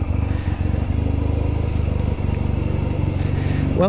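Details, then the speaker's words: 1997 Honda Rebel 250 after restoration, warm after a ride, somewhat cold-blooded: the small twin ticks over at a steady, even low rhythm with no misses or knocks; a smooth idle. "But yeah, that's a smooth idle. And you can actually listen a little bit to the engine now. And it sounds pretty darn good."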